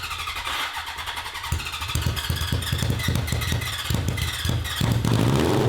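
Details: 1982 Honda CB750 four-cylinder for a cross kart, with four open pipes: rough, uneven revs with popping and stumbling that won't clear, fine below 4,000 rpm but still lean toward redline.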